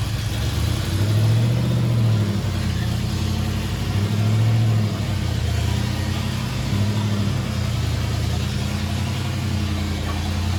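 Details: 9C1 "Bear" V8, first start with only the Y-pipe and no exhaust: fast, uneven, lumpy idle with an open-pipe bark; high idle blamed on uncapped vacuum lines, carburetor still needs tuning.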